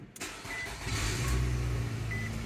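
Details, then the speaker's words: Nissan Altima with push-button start, after repairing a wire for an overcharging fault: brief starter whir, then the engine catches and settles into a steady even idle, no battery light; normal start. "Okay, car is started and running. And we do not have a battery light. That's good."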